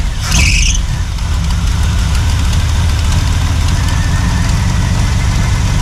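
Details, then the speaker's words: 1976 Chevy K10 V8, ex-mud truck parked about 10 years, left idling after first start: deep, even idle with low steady rumble and no misses, knocks or hunting; healthy idle, owner says it sounds like a decent engine. "Earlier, I was a little worried, but actually sounds like a decent little engine."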